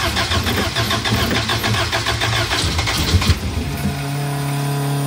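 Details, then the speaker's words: Elva Courier Mark III race car barn find, first start with fresh fuel and plugs reinstalled: several seconds of rhythmic cranking, then catches and settles into a steady, even idle; tachometer not working. "one and two tachometer is not working fuel gauge probably not working but runs sounds pretty neat"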